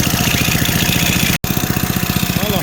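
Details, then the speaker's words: Snowblower single-cylinder engine at idle after a choke start that had run fine, then lost compression. A steady thump carries a light, loose-sounding tapping clatter. The cause is unconfirmed; a valve adjustment is suspected to be needed. "ooh sounded like something was loose"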